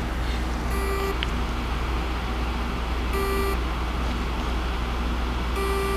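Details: Seagate 1 TB 7200.12 hard drive with seized spindle motor (possibly a bearing problem) gives short buzzing bursts every couple of seconds and never spins up; mic placed on drive on bench; platters to be swapped into a donor chassis.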